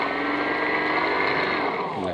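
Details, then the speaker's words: E-rickshaw motor run without a battery from a 55.4 V charger after controller servicing, throttle applied: clean, steady high whine that glides down in pitch as the throttle eases; motor spins freely and sounds healthy. "এই pickup করতেছে, মোটরটা ঘুরতেছে।"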